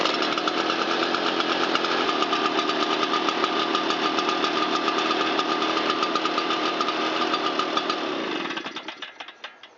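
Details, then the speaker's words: Shindaiwa EB802RT two-stroke blower after fixing a backwards-installed replica carburetor and fitting new fuel hoses and a used gasket: a crisp, steady high-pitched buzz at even speed, then a clean wind-down at shutoff. Normal running. "Turn the choke off and give it a little throttle. Air out that crankcase a little bit. See how it restarts."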